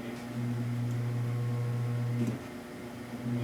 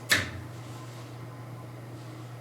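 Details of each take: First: Electric faux fireplace: steady low mains-pitch buzz that goes quiet when the log set is pressed down, then returns. Motor vibration passes through the fasteners into the metal with nothing to dampen it, and the metal amplifies it. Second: Faux electric fireplace after the motor misalignment was fixed by sliding insulators under a loosened plate, with no foam used. A switch click, then only a faint steady low hum with no rattle or buzz. Quiet normal operation.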